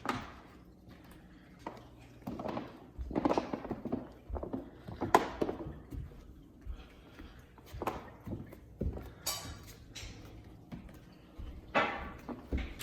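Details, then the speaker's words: Floor crackling when walked on: irregular crunchy crackles with each footstep in a quiet room; suspected uneven leveling leaving voids underneath, letting tongue-and-groove joints flex and crackle, not confirmed. "now that's what i call crunchy to keep you up at night if you're walking around"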